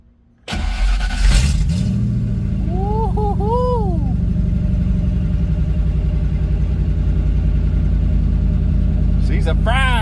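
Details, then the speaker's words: 1986 Ford Mustang GT Fox Body V8, restarted warm after about 10 minutes running: fires within half a second of cranking and settles straight into a deep, even idle without stumbling; normal warm start. "Now, the true test. We're going to shut it off and try to start it and see what it does."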